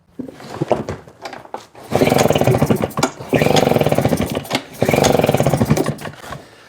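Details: Husqvarna 150 BT backpack blower with customer-replaced fuel lines, reported bogging, choke on: three short firing bursts, each surging about a second then fading; engine catches but starves for fuel and won't keep running.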